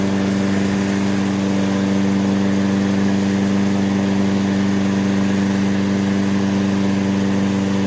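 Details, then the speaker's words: Toro self-propelled mower, Briggs & Stratton 6.75 (believed), auto choke, wouldn't restart when hot; after basic tune-up and fresh gas, strong even single-cylinder drone at constant speed as it heats up, no sputtering or dying; normal running. "give it a yank first pull it's cranking up first pull see what it does as the engine heats up"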